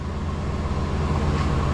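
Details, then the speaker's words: 1996 Chevy dually pickup, 454 gas V8, 4L80 transmission, cranking and starting after fuel pump replacement: deep, even V8 burble at steady idle with no stumbles, ticks or knocks; running healthy, no fuel leaks seen. "Cranking. Hey! All right! Sounds good. Checking for uh for fuel leaks, which I don't see."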